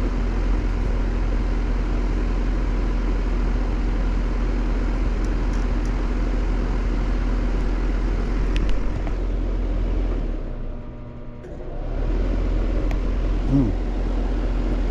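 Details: Steady low condenser hum that sags and drops out, then returns; compressor pulling locked rotor amps and won't turn over, a stuck compressor on a 410 system about 12 years old (serial suggests 2010).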